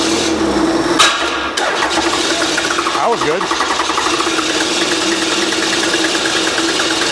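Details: Old 12-valve Cummins diesel, stored almost a decade, starting spray nearly used up: steady cranking churn, never catches; still not returning fuel, system may be dry, electric lift pump planned. Crank no start.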